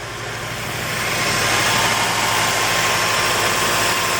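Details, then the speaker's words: 2006 Honda Element on its first start after an engine rebuild and reinstall: an uneven, lumpy misfiring idle that shakes the motor. The cylinder 1 coil was found partly unplugged and is the suspected cause. "wow she's a little rough you know I don't know if you can see it vibrating probably not but he's got a vibration but I think that's pretty cool as well as running rough"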